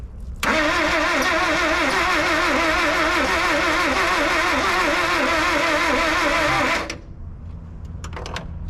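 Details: 1976 Ford Courier engine cranking steadily on the starter for about six seconds, then stopping without catching; spark confirmed at the distributor.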